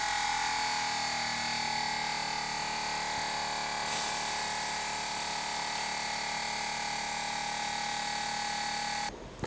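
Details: 2017 BMW 5 Series (F11) air suspension, newly installed replacement air compressor on a pressure gauge after rear air springs failed to fix low rear: steady electric whir, even high tone under load until switch-off; reaches 10 bar (145 psi); normal compressor operation.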